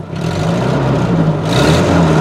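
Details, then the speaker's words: 1984 Toyota SR5 pickup, first start after sitting about five years, now warmed up: the idle has smoothed out to a steady low hum, and a clean rev climbs without stumbling. "she's warmed up the temperature yeah Hale smoothed out"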